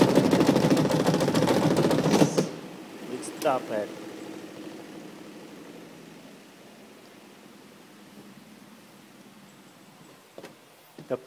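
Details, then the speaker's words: Oceano OWS-07L semi-auto washing machine spin-drying: loud rapid banging from an unevenly packed load in the spin tub, then quiet coasting; fixed by centering and balancing the clothes. "is this your washing machine like this noisy when you dry your clothes you try to dry your clothes like this"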